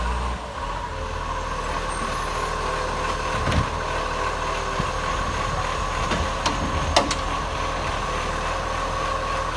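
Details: Acco garbage truck #2538 (Monash) with an exhaust leak, idling: very loud diesel with raw raspy exhaust note and sharp puffs over the rumble.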